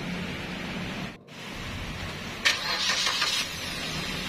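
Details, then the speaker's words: Suzuki Ignis with rough rumbling engine noise whether cold or hot: settles into an even, quiet idle with no rough rumble, brief catch partway; noise came from the AC compressor, likely its pulley bearing. "terlihat untuk suara mesin yang kasarnya pun hilang ya bro dan ternyata memang benar suara timbul itu berasal dari kompresor AC ya"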